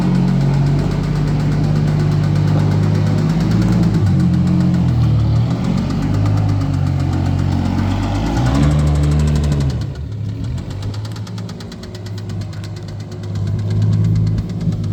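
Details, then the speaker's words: Red 1990 Toyota Supra turbo manual being parted out: deep, uneven knock about four per second under the idle, rising and falling with engine speed; owner pretty sure it's a rod knock, possibly a valve problem. "this car has a rod knock might be a valve something wrong with the valves or something like that but we're pretty sure it's a rod knock"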